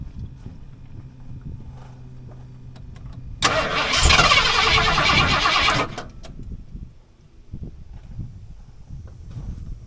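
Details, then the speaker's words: 1989 Ford F150 being revived, started on starting fluid sprayed into the intake: catches with a loud rush for about two seconds, dies, then a sharp single bang. Owner suspects mashing the gas while cranking caused the backfire. Brief start, stall and backfire. "Well, I made a mistake, I guess, mashing the gas while I was turning it over. That may be why it backfired like that."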